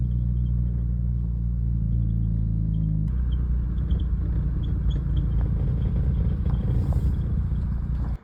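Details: 2015 Honda Civic Si with Skunk2 MegaPower RR 3-inch cat-back exhaust, 10–15 minutes into driving: deep drone turns rough and buzzy with uneven metallic rattle from the pipe touching the underbody.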